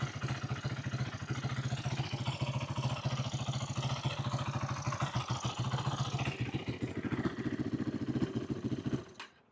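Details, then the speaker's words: 2008 Yamaha YFZ450 single-cylinder quad, idle turned up and choke on: choppy, uneven thumping that sags and dies near nine seconds; carburetor leaking badly, causing rough idle and stalling. "Carburetor is leaking bad. So, carburetors are leaking."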